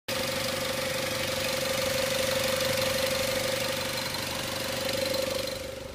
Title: Engine knock